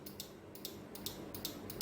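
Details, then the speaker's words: Bench test of a car starter relay (pins 85/86 coil, 30/87 contacts), battery supply applied to pin 85: sharp, crisp paired clicks, about four cycles in two seconds, as the contacts close and open; the relay switches normally. "आवाज पण येतो त्याचा थोडा. Relay coil किंवा relay जो okay आहे की नाही हे बघण्यासाठी आपण असा आवाजानं चेक करू शकतो."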